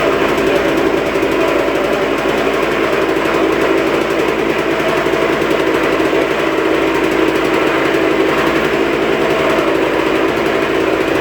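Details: 2003 RM125 two-stroke motorcycle running at steady speed: harsh, rattly grinding buzz over the firing.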